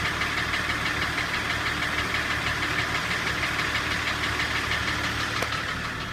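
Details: Engine M51 diesel: a steady knock at about three per second over the running clatter; source not pinned down.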